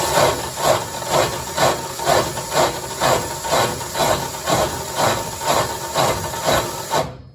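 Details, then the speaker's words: Homemade auger-style wood chipper driven by a drill for a first test before sharpening, welded tube possibly warped; scraping rasp pulsing about twice a second with each turn; gears sound imperfectly meshed and owner plans to shim them. "well it goes round and round I'm going to have to shim this obviously because it sounds like the gears are not quite perfect"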